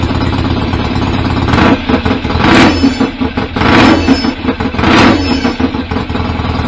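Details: BSA A50 Royal Star twin, bought as a non-runner, at its first start after restoration with new pattern exhaust: loud open pipes, needs repeated throttle blips to stay running, idles unevenly. Owner suspects timing slightly off and plans a strobe check.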